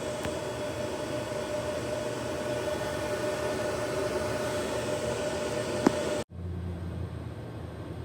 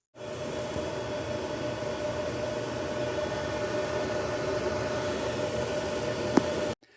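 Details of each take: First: Gen 1 Ubiquiti US-48-500W 48-port PoE switch after replacing the loud stock fans with Noctua NF-A4x20 fans: a soft, steady whoosh with a faint even hum and no rattle, tick or whine. The fans run quietly and normally. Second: Ubiquiti US-48-500W Gen 1 48-port PoE switch with stock fans: loud, steady rushing whir of cooling fans pinned at full speed, then cutting off when unplugged; fans running at full speed before Noctua NF-A4x20 fan swap.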